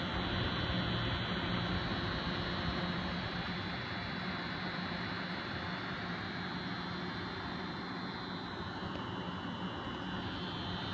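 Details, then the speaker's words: Noctua NH-D15 CPU cooler with both fans in pull configuration: steady airflow hiss with a low, even buzz from the fans themselves; quiet in push configuration, and the buzz stops when the fans are disconnected. "I actually get a buzzing sound and the buzzing sound looks like it's coming from the actual fans themselves"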